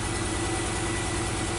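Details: Supercharged Nissan Note three-cylinder petrol engine with check engine light on and recently replaced coils idles with an uneven, stumbling low beat from a cylinder misfire.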